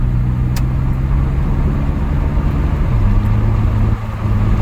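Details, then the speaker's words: 2001 GMC Sonoma 4.3 Vortec V6 on its first test drive after repair of an engine that quit while driving (timing chain suspected): an even engine hum under road noise, shifting smoothly in pitch as it pulls; runs clean. "all right so far so good my first little test drive i just left the shop seems to be doing good"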